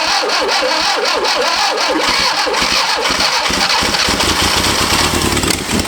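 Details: Barn-find 1971 Fiat Spider 850 (800 or 850 cc four-cylinder) off the road 31 years, first start attempt: starter churns a couple of turns per second, rhythm tightening later, but never catches. Cause unconfirmed; a spark plug wire was later replaced.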